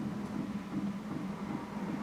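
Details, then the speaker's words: Airstream Rangeline Timberline heater fuel pump after a noise-dampening mod: soft regular ticks, a few per second, over a steady heater hum; quieter than before but still plainly audible. "and you can definitely still hear the ticking but it does seem to be substantially quieter than it was there's the sound of the fuel pump running still very noticeable"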